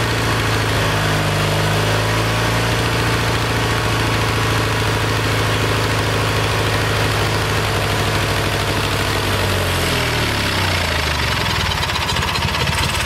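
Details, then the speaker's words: Kohler Magnum 20 single-cylinder engine, about 40 years old, after carburetor rebuild; mixture screw backed out about 1.5 turns, then slowly turned in to find the sweet spot. Steady thumping idle that sags and shifts speed near the end. Owner suspects it needs a valve job. "i got this back out about one and a half now what i'm gonna do is slowly turn it in [Applause] want to find that sweet spot"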